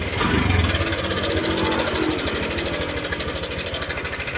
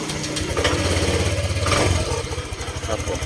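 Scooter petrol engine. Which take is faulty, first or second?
first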